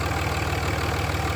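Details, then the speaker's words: 20-year-old high-mileage 2003 Dodge Ram 2500 5.9 Cummins diesel, valves never adjusted: steady, even idle clatter with deep regular pulse and no top-end ticking; healthy engine, little blow-by. "fires right up nice doesn't crank too long intermittently it'll have a long crank but it's not the norm and that sounds really good I've never adjusted the valves but it really does has never sounded like it needs a valve adjustment"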